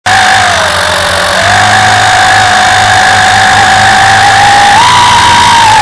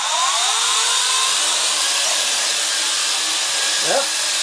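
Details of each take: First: WLToys V262 Cyclone quadcopter in flight with a loud piercing whine that swoops up and down with throttle; one brushed motor is failing and needs replacing. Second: WLToys V262 quadcopter after replacing a squealing bad brushed motor with a new one: high even buzzing whine rising and falling with throttle, no rattle or squeal; motors running normally.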